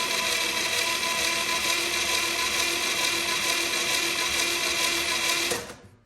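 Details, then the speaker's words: 1963 Chevy 230 inline-6 sitting about 35 years, cranked with replacement starter and spark plugs out: strong steady even whirr about three beats a second; healthy cranking, oil filter likely filling. "All right. That's a lot better, being able to crank. It'll take a lot more than that."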